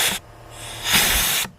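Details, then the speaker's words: Junkyard 4L80E transmission air-checked: sharp air blast with firm clunk of clutch applying, hiss stops quickly; clutch seals internally good and parts moving freely. "that tells me that the seals internally are good and that they're slacking that everything's moving freely at least"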